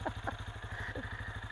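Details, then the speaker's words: Benelli Imperiale 400 single, twin spark plugs, stock exhaust with baffle kept in: soft even thumping about thirteen beats a second, birds in background; quiet, healthy idle. "Nah, tapi saya seperti biasa, saya mau mempertahankan standarnya saja. Jadi biarlah suaranya kayak gini aja, jadi nggak terlalu bikin tetangga marah itu suaranya."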